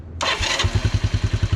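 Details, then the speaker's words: 1985 Honda TRX 125 ATV, sat for years, just after freeing a locked rear end: short crank, catches at once and settles into an even putter of about eight beats a second; clean, healthy start. "great, dude. Starts right up."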